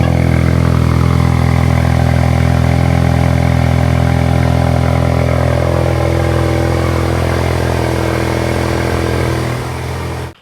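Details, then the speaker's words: Ford Mustang EcoBoost with newly installed Flowmaster Outlaw axle-back exhaust, car on jack: loud deep steady exhaust drone at low even pulse, then cuts off; no rattles or misfires, much louder than before. "Alright, it's no V8, but I think it's a lot better than what it was."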